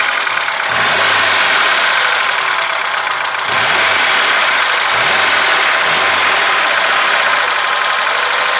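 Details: VAZ 2106 at idle: rapid, light ticking riding over the engine and speeding up with revs; valve tapping from the top end.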